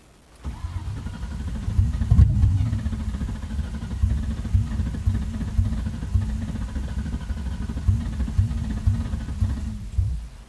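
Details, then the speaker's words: 2000 Mustang GT V8 with open headers, long crank after reconnecting unplugged fuel pump: low steady cranking churn with uneven catches that never run; very close, owner hopes it is just air in the fuel line. "okay so she's very close to one hopefully that's just air in the line and hopefully she'll find out"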